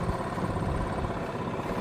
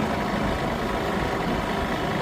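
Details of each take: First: Old Yamaha golf cart after plug work, at low road speed: steady even low putter with no stumbling or cutting out; sounds healthier, where before it would shut off at low speed. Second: Old Yamaha golf cart, not run for about a year, cold: steady low drone with an uneven lumpy beat, engine kicking in and out, surging, occasional misses at idle. Owner thinks it needs warming and a tune-up.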